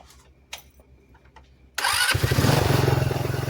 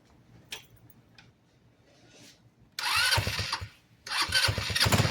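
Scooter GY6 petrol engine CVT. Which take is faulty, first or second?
second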